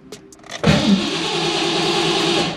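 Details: 1987 McLaren with Terminator X EFI and 19-pound injectors: about two seconds of even, steady cranking whir that never catches, even with starting fluid; TPS reads zero, MAP 99 kPa not moving. Cranks but won't start.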